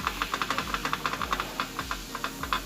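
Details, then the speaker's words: Fiat Uno 1.0 Fiasa with replacement gearbox still fitted with the small tripod joint: rocking the axle shaft by hand gives sharp dry clicks about seven a second from play; causes a clunk on takeoff and gear changes, fixed by fitting a larger tripod. "consegue ver o eixo mexendo aqui dentro né o anel aí muita das vezes você tá andando se de repente seu veículo não tinha esse barulho né não tinha esse barulho começou um barulho ao sair você sente o trampo né"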